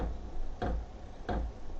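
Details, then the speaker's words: New VEVOR diesel heater, first startup, fuel pump just started: three crisp evenly spaced clicks about two-thirds of a second apart in a quiet room; owner finds the pump ticking loud, normal fuel pump pulsing. "Je sais pas si vous entendez le le petit claquement de la pompe. J'espère que ça va s'estomper parce que c'est quand même assez brouillant hein."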